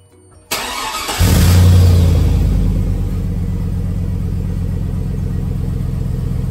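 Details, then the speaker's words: Petrol vehicle started in a garage on a high-30s °F day after a sizable exhaust hole was wrapped with FiberFix heat wrap: brief crank, then a steady even idle with no exhaust ticking, puffing or visible leak. "as expected not see any exhaust leaks and they said it should be fairly easy to see exhausts or any leaks"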